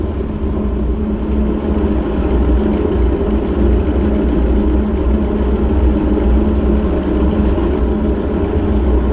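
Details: Ford 600-series (640) tractor, abandoned a decade, after new intake/exhaust manifold and vertical exhaust installed: steady, even low rumble, no knocks or misses; engine idles cleanly and sounds healthy.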